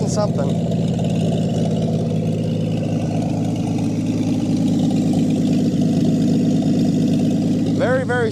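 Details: 1959 Chevy Biscayne, long sat in a junkyard, fuel pump disconnected, running off the gas left in a leaking carburetor: steady, even low idle with a calm rhythmic burble and no misses or knocks; smooth idle.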